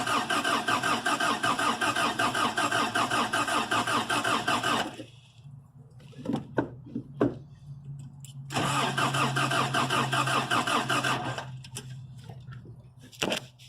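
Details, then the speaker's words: 3rd gen Toyota pickup with new fuel pump installed, fuel confirmed at the line, spark seen earlier, fresh battery, has compression: two bursts of steady cranking, about five and three seconds, no firing at all. Cranks but no start. "and now we're gonna go ahead and crank it so wish us luck let's see how this goes my trusty foot nothing"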